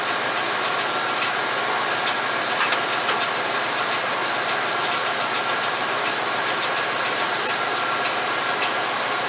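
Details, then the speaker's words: 1989 Chevy K5 Blazer, GM TBI engine, while setting ignition timing to zero with the ECM advance connector unplugged, distributor bolt being tightened: a new light, uneven tick under two per second over a steady idle; source unknown, never heard before. "I got a little tick there. I don't know where that came from, but I never heard that before. So we'll have to investigate that as well."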